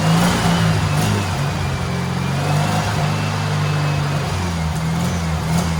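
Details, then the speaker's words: Turbo rat rod Porsche 930 on a new carburetor, first start after sitting months outside, battery possibly weak: steady, even low rumble with no misses or stumbles; finally running well. "oh she runs finally it's actually running well too"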